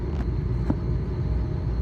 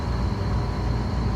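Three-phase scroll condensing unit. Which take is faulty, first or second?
first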